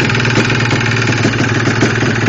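Loud two-stroke idle with a rattly knock riding every firing stroke, a dull slapping tap typical of a worn piston.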